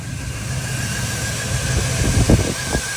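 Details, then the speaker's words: LS V8 single-cab truck, idling after a new Quantum 340LPH in-tank fuel pump cured its dying problem. Steady, even low rumble with no stumbling: normal idle. "oh my God I know this sounds crazy but I can't believe it's idling like this it's not making a single noise"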